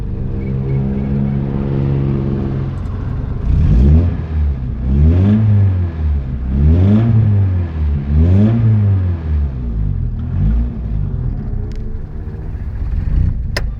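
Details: GSR engine revved in repeated swells about every 1.5 seconds, with a faint clatter riding the rumble. Cause undetermined; engine noise while revving.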